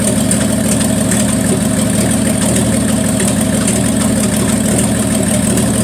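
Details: 1974 Plymouth Duster slant six, cold start at 21°F: an uneven, stumbling idle that drops a pulse now and then, a miss. The owner suspects the valve train is too tight and plans a valve adjustment; unconfirmed.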